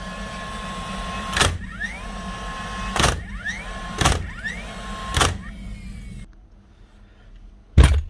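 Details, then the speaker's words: Dewalt DCN692 nail gun after replacing broken springs that caused clicking and no firing: four sharp, clean shots about a second apart, each with a short motor whir, no stray clicking; firing properly. "That's her, up and running and shooting like she's supposed to do."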